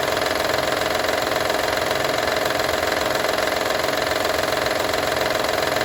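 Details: Honda Odyssey 2012 at steady idle: a fast, even rattle around three per second, constant throughout; owner asks what needs fixing, engine rattle with no cause pinned down yet.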